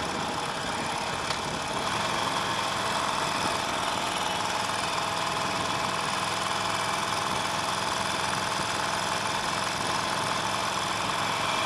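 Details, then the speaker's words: Harley-Davidson Nightster 1200 V-twin, about 12,200 miles, warm, under normal acceleration: steady engine note with no rattle; rattle only occurs on sudden aggressive throttle when warm, cause undiagnosed after four dealer visits. "okay so that's normal acceleration I can accelerate to as high as I want with that kind of acceleration and I'm not going to hear it"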